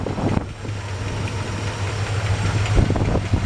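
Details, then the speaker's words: 1966 Chevy C-10 longbed, 350 V8 just started and still cold, idling: deep uneven rumble with occasional soft thump and puff; possibly a small exhaust leak, headers may need retorquing after heat cycles (suspected, not confirmed). "Sounds like it might have a tiny little exhaust leak. I can't tell what that little thump is, and it could just be, you know, after a while, those headers need to be tightened down again, torqued again after the engine's gotten hot and cold from being driven."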